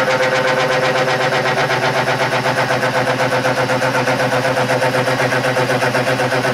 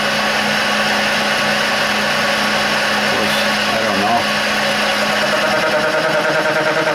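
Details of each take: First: Burke horizontal mill cutting threads on a stub arbor spindle, 10 thousandths per pass after spindle speed was lowered: even, steady cutting with a regular beat of about four per second and no chatter; cutting cleanly. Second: Burke horizontal mill threading a stub arbor, taking about 5-thousandths cuts: a steady high spindle hum with a fast, chattery cutting buzz. The spindle speed is too fast for this cutter size.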